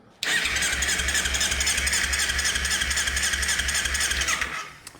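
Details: 2015 Ninja 300 race bike, unstarted for months, cranks evenly at about four beats a second for four seconds with no firing. Stale ethanol fuel clogging the fuel injectors is the suspected no-start cause.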